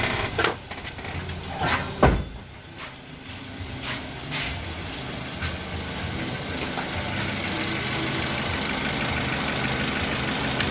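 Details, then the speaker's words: 2012 Toyota Avanza Veloz, after repair of rough knocking traced to damaged connecting rod bearings from poor-quality oil, engine flushed and oil changed: after a few clunks, smooth even idle with no knocking or tapping; normal idle. "Oke, Lur, suaranya sudah kembali normal, halus, layaknya mobil yang masih muda, dan biayanya cukup lumayan menghemat."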